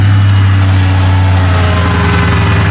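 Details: 2002 Chevy Tahoe with no-crank fault, started by jumping starter relay terminals 30 and 87 in the fuse box. Now a steady, even low rumble with no knocks or misses, smooth healthy idle.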